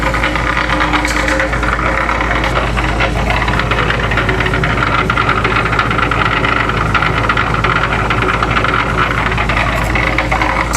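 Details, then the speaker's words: Pump gearbox test run after repair: propeller refitted onto the shaft and gearbox refilled with oil; steady, even churning drone with light gear chatter, which is normal for these gears, and no knocks or grinding. "We're gonna test run here in a little bit, I guess. got a little chatter to her, but you're gonna have that with them gears."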